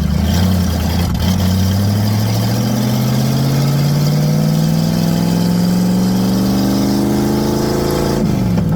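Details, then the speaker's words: Ford Mustang with welded-together automatic transmission, driving about a mile: engine pitch climbs steadily for about seven seconds with no shift, then falls off; owner thinks it has only first gear, and it shakes and smells of coolant. "Alright, so right now I think we only got first gear. Trying to keep it going and drive."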